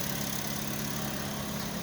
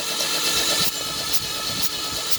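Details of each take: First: Toyota Vios petrol engine after sitting 3 months with lost compression, started after oil poured into cylinders through spark plug holes; exhaust smoking from the oil; steady even low idle, no knocks or misses; normal idle. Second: Toyota Vios petrol engine that sat 3 months unstarted, lost compression though fuel and spark present: starter cranks about four turns a second for several seconds without catching; extended no-start cranking.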